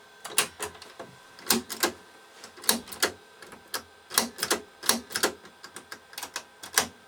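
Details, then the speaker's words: Ferguson 3V22 (JVC HR3330) top-loading VHS, Mk3 mechanism, previously over-greased: sharp mechanical clacks of keys and eject action; piano keys slow to return after eject, possibly a bent, damaged or dirty switch. "Keys slower coming back up for that could be some switch that's bent or damaged or or dirty"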